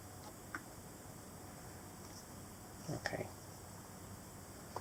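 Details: MacBook 12-inch 2017 laptop: sharp ticks when the lid is opened and when it is tilted, plus a clattery knock of something loose moving inside; the noise persists after Apple service replaced the screen and is getting louder.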